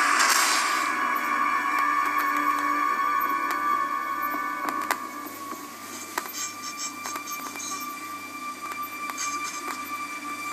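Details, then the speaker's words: Dell XPS 15z laptop playing music: speakers broken by irregular sharp pops and crackles from DPC latency spikes blamed on the Intel Centrino 6230 wireless card, worse with Wi-Fi off; audio crackling. "can actually hear it [Music] crackling so my problem gets worse when the Wi-Fi is off and it just does this it goes absolutely nuts"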